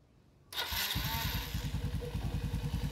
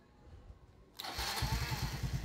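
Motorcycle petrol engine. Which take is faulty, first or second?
first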